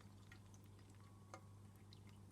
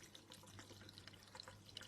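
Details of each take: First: Aquarium with a DIY floating Stockman overflow silencer fitted: only a low hum and the odd soft drip, with no gurgling or slurping. The overflow runs quietly and smoothly and does not restrict flow. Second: Aquarium overflow pipe in a bedroom tank, before fitting a DIY floating Stockman overflow silencer: quiet irregular trickling and gurgling with little splashes as air is sucked down the overflow drain.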